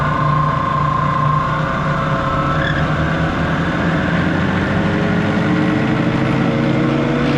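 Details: Used Prodex Model 2JSS jacketed high-intensity mixer on a test run, cranked up to top speed: a loud, steady motor roar holding an even pitch with no knocking or grinding; the mixer runs smoothly.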